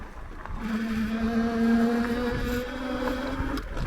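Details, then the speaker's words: Ariel Rider Grizzly e-bike on trail brake test: steady high squeal near 220 Hz with overtones for about three seconds then stopping; squeal comes on and off and goes away after riding a while, cause unconfirmed, intermittent brake squeal. "That is happening on and off, so hopefully you can hear that pretty well. It goes away after a while, so as you ride it'll go away."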